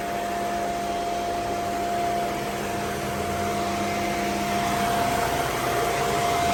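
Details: Mercedes SL500 with 46,000 miles, just after its ABC tandem pump was replaced by a standard power steering pump. Smooth, even idle with a steady hum and no moaning or growling from the pump; sounds healthy.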